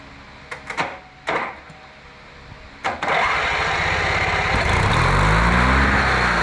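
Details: Riding mower with a paint-can lid welded over its backfire-blown muffler, started with the safety unhooked amid an unresolved grounding issue: starter churns, the engine catches into a steady rough run with occasional exhaust pops; the patch pops but is much quieter than before.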